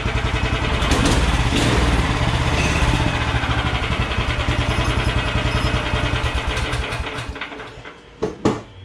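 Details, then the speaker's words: Small single-cylinder engine with a small throttle and centrifugal clutch, on an old DR stump grinder / Craftsman walk-behind string trimmer project, just started: even, lively beat holds steady, then winds down and stops; torquey, idles well, healthy. "this is a torquey little motor you can see it idles good"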